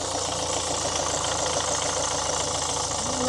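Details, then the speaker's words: 2013 Ford Kuga diesel after repairing broken injector clamp that caused smoke and injector chuffing: even diesel clatter at steady idle, no chuffing, no fuel leaks; normal diesel idle. "But it's not leaking now. It's not doing that lovely chuffy chuffy."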